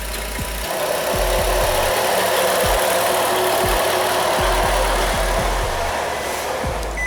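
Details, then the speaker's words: 2013 Nissan Qashqai 1.6 with JF015 CVT at 90,000 km, before repair: a steady whirring drone with a faint whine over idle in neutral or park, also heard while driving; the noise fades in drive with the brake held. "посторонний звук при движении который мы сейчас услышали плюс к этому звук когда мы включаем нейтраль на месте либо паркет из кучи паркинг"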